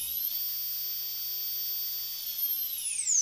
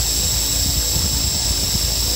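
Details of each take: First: Toy RC helicopter converted from a brushed DC motor to a small brushless motor with ESC, motor running alone without the gear: a clean, steady high whine with no grit or rattle, then a smooth falling spin-down; normal unloaded running. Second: Toy RC helicopter converted from a brushed motor to a small brushless motor with an ESC and Flysky 2.4 GHz radio, at full throttle. A high motor whine with irregular rattling chatter; the drive gear lifted off the brushless motor at high speed.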